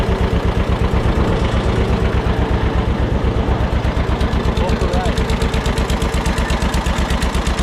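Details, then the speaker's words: Barn-find John Deere 630 tractor, just started on first try at about half throttle with a little choke, good oil pressure. Sharp, rapid ticking in step with the firing pulses over a steady idle; exhaust manifold leak suspected. "Sounds like we got a little bit of a ticking noise, too. Could be a manifold leak."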